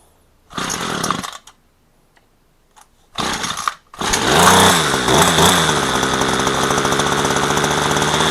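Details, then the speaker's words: Garbage-found two-stroke string trimmer after its low-speed mixture screw was backed out half a turn: it coughs in bursts, then catches into a fast, screaming idle that runs too high, so it will be turned down. "So, that was now high to be running a little high. So, we're going to turn it down."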